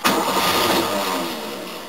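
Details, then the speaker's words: 1969 Mercedes W111 220Sb, hard to start when hot, after fitting a new battery, cranked with no gas pumps: starter spins briskly and evenly, no dragging; normal cranking, healthy battery. "that's with no pumps of gas I don't just seeing how it cranks all let's get to start"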